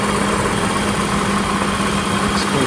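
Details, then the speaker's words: 1990 BMW 535i E34 inline-six, first start after about two years sitting, fuel replaced, run off a jury-rigged motorcycle battery. It fires and settles into a smooth, even idle with no misses, ticks or knocks. Normal idle. "oh thank God it started and it actually sounds good I's hope it doesn't turn off like last time but man it's sounding pretty good wow she's smooth this is after 2 years"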